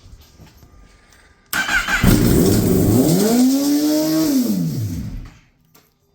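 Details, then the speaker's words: 2018 Kawasaki ZX-10R rebuild after a total, first start after fixing a ground: revs immediately climb as if at full throttle, then sag; others suggest an intake air leak, cause unconfirmed. "but now I have to figure out why it sounds like it's Full Throttle as soon as it started"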